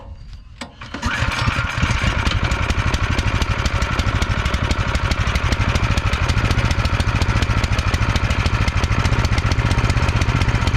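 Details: Cub Cadet two-stage snowblower, fuel system cleaned of congealed ethanol fuel and fresh gas added, at slightly under full throttle: one pull and it fires, then a quick, steady single-cylinder putter with no surging or dying; normal start and run.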